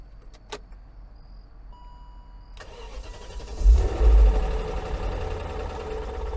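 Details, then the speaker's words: 2001 BMW E39 540i Touring, first start after sitting, with high-flow cold air intake, air meter and throttle body: starter whirs, then it catches into an uneven, lumpy run that briefly evens out. Not seized; cause unclear. "Well, that doesn't sound great. Hey, that evened out. Oh, that doesn't sound so hot."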